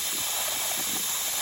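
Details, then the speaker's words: Nuwave 13-quart electric pressure canner after canning bacon ends, venting until finished releasing before lid opening: steady, even hiss through the release valve, no sputter or rattle; normal steam venting. "Well, evidently it's finished releasing steam, so I'm going to put you back up on the tripod so you can watch me open the lid."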